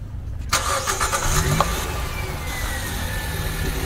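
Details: Used 2016 Nissan Grand Livina, inspected with suspension parts replaced, clean oil: starter whirs briefly, engine catches at once and settles into a quiet, even idle with no ticks, knocks or squeals. Normal start and idle.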